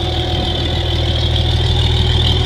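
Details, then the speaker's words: Farmall 706 gas tractor after governor gear repair (gear nut came off, gear loose inside timing cover): deep, even idle with steady low rumble, no knocks or misses; runs good. "but Hank it runs good fire it up for you"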